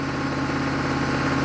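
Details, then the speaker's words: 1995 Chevy K3500 6.5 turbo diesel, 160,000 miles, just started: steady drone stuck at exactly 2,000 rpm against a desired idle of 844, no drop; new pedal and pump driver module didn't help; electrical fault suspected; high idle. "So when you first start it up, it's at 2,000 RPM."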